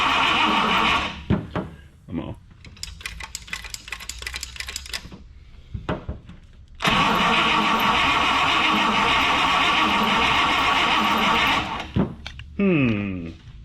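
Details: 1960 Buick LeSabre with replacement factory 364ci nailhead V8, rebuilt carburetor, alternator conversion, fed from a temporary fuel tank, first start attempt: starter cranks in rhythmic bursts with clicks between, never catching.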